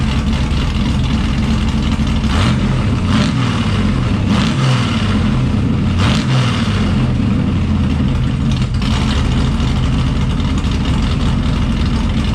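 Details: Blueprint Engines 377 stroker V8 (BP383CT1) in a muscle truck, first start on Holley Sniper EFI: lumpy, strong idle with clean throttle blips rising and falling smoothly; running healthy.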